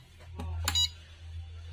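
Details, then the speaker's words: Luminous Shakti Charge 2250 inverter PCB, 24V double battery, on 24V DC bench supply: short high beeps about once a second over low hum; micro's 5V regulator gives 2.6V from 12.7V input, microcontroller replacement didn't help. "देखिए beep लगातार beep कर रहा है ये। तो इसका main fault क्या है देख लीजिए। यहां पे आपका जो माइक्रो का जो 5 व्ट है इसको देखिए कितना है इनपुट।"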